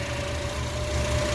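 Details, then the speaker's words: 2004-08 Acura TSX after replacing power steering pump O-rings and running five minutes: steady idle with low engine hum and no steering pump whine; normal idle, previous whine gone. "run for a good five minutes and let these seal a little bit and as you hear it is not making the noise any longer so all it took was o-rings very easy to fix"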